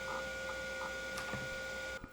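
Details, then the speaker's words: Hard drive in a 1989 Tulip PC Compact 2 IBM XT compatible: fdisk found the partition, but reading the C drive gave seek errors. Steady whine with scattered clicks and buzzing bursts; the drive is failing to read. "but i was unable to get a directory listing off of the c drive instead i got these seek errors and these uh terrible sounds coming from the hard drive so that's not good"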